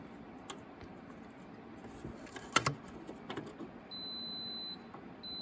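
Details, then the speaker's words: Lawn tractor neutral safety switch tested with a continuity meter: clicks of probe handling, then a steady tester beep in neutral that breaks briefly and returns; nothing when taken out of gear, so the switch is good. "There, that's got a good connection. Now if I take it out of gear, I got nothing. Put it back into neutral. So I know this safety switch is good."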